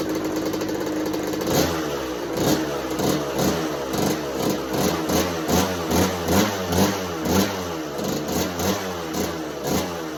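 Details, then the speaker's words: 1986 Kawasaki KX125 two-stroke in neutral with choke held up and a new NGK BR10EG plug. It is kept alive only by throttle blips about twice a second, sagging between them, and won't idle; the plug didn't fix it. "It's fired up right away, but the spark plug did not cause our or fix our problem."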